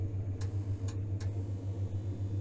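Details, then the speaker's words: Mosquito electrostatic smokehouse, field tested with door open before cold-smoking flounder: light steady low buzz, no short circuit, no crackling of arcing anywhere; electrostatic field working normally. "легкое слышится, замыкания нигде нету, треска нету нигде."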